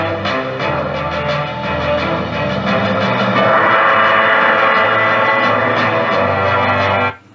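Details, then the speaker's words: 1938 Healing 448E radio after restoration and speaker re-centring: music plays full and clean with solid bass and clear highs, and the earlier scratching from the cone is gone. "به صدای بسیار خوبی است، من دیگر نمی توانم هیچ یک از آن خراش ها را بشنوم."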